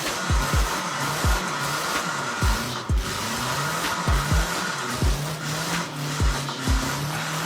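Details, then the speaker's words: Engine revved with no oil pan: short sharp revs that fall straight back over a harsh, rough running note; bearings failing from oil starvation. "it already sounds like it's bearings are gone why would you do that it sounded like it was already hurt"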